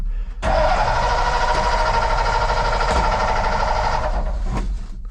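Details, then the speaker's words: Ford F600 truck, jump-started: catches, runs roughly about four seconds, then dies; owner thinks it dislikes being fully choked too long, choke seems stuck, fuel gauge reads empty; cause unconfirmed. "Truck didn't stay running. I don't think she likes being fully choked for too long. See, choke's kind of stuck."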